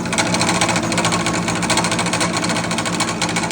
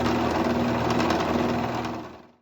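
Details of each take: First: King PDM 30 round-column milling machine fly cutting: fast, harsh rapping about twice a second over the motor hum each time the cutter hits the material, loud clunking traced to the spindle in the head, which was then removed for servicing. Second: King PDM 30 round-column mill spindle after greasing the splines cured its loud clunking: a smooth whir with a steady hum, then it spins down to a stop with no clunk or knock.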